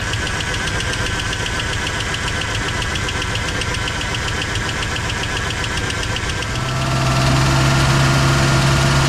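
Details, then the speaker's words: 1959 Oldsmobile Dynamic 88 V8, barn find run after sitting for years: idle with sharp puffing tick from exhaust leak at a broken bolt, uneven stumbling beat from one cylinder missing; ticking on bank one; lifter noise quieted. "and you guys hear the exhaust leak down there too we got a broken bolt and you can hear it's missing on one cylinder it's not hitting it the whole"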